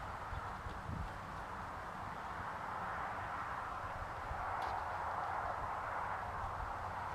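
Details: John Deere 110 garden tractor single-cylinder engine after rod knock repair on a worn engine; low, steady even thump at idle with lifter ticking and belt rattle but no rod knock. Normal idle.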